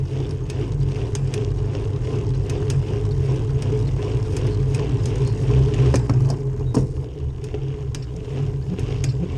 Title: SRAM NX cassette clicking noise